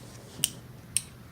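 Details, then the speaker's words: Testing a common relay: coil (magnet) side reads about 70–80 ohms, then grounding it to energize gives two crisp clicks half a second apart, a good relay pulling in; contacts then read about 0.2–0.4 ohms, confirming a good relay. "now we are going to power up the magnet and we're going to listen for a thunk or click like a relay they click"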